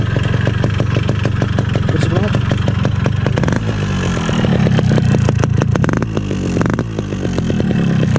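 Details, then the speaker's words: Standard original 2002 RX King two-stroke motorcycle, started and revved: loud and rattly, with a sharp clatter through idle and revs. Abnormal engine noise; owner suspects a loose piston or connecting rod from hard riding, which would need the engine split. Unconfirmed. "Sebenarnya sekarang motor gua ini lagi kurang sehat karena mesinnya itu berisik banget mesin itu berisik banget di sini nih di dalam di sini nih kayaknya sih sehernya atau enggak stang seharnya udah goyang gitu jadi benar-benar berisik banget"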